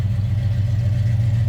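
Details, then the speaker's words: 1964 Dodge Dart GT convertible, 360 V8 with automatic transmission: even low V8 burble at idle, steady rumble without misses, taps or rattles; engine sounds good. "Sounds good. Again, 360 V8 underneath the hood, paired up that automatic transmission."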